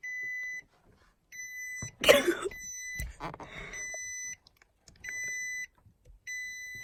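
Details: 2017 Nissan Armada: high electronic beep of about half a second, repeating roughly every 1.5 seconds without change; a warning chime, cause unknown.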